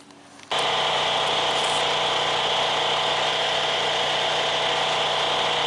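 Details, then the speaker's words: Ferris zero-turn mower after blade drive belt replacement: it spools up and holds a steady, even whir with no squeal or slapping. It cuts well, sounds good and has a little less vibration than before. "We got the belt on there, and she cuts good, sounds good. It actually has a little bit of less vibration because"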